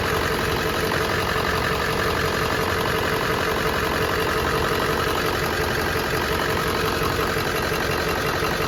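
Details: Ford F-250 Super Duty 7.3L diesel at idle just after an oil cooler rebuild (leaking gaskets replaced) and a coolant refill. Steady, even clatter with no change in rhythm and no knocks; running normally, no leaks, full pressure.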